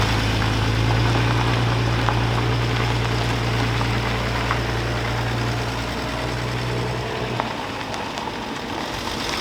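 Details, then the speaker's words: BMW E36 M3 S52, unregistered since 2018 and revived after long storage, running and doing donuts: steady low idle drone that sags and stumbles toward the end; owner thinks this is only low fuel. "okay it started missing at the end not even missing just kind of like fumbling stumbling out I think that is only because we're low on gas"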